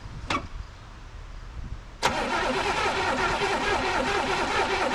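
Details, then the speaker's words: All-original 1985 Pontiac Trans Am base car, 34,000 miles, first start after sitting since 1998. Cranks, catches and settles into a slightly uneven idle with faint ticking. Owner suspects a couple of pumped-out lifters; oil pressure about 35 psi. "Um it turns over. Sounds a little funky. Um, I think a couple of lifters are pumped out."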